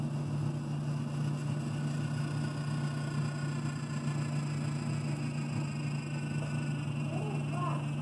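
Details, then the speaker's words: Frigidaire ice maker, ejector motor heard humming steadily but not moving after hitting it; suspected spilled water froze over the ice tray jamming it; to be thawed with a heat gun; ejector motor jammed by ice. "like it's jammed I'm pretty sure it it's stuck probably froze over some water came spilling out of it and froze over the ice tray"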